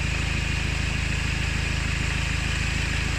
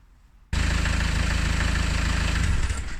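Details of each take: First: Diesel engine running, noise traced with a listening rod on the tensioner nut: loud steady clatter with a rough gritty high grind underneath; worn auxiliary belt tensioner pulley bearing. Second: Engine started with the auxiliary drive belt removed: it holds an even, steady diesel beat with no whine or knock. The noise disappears, and the worn automatic tensioner pulley bearing is later found to be the cause; normal running with belt off.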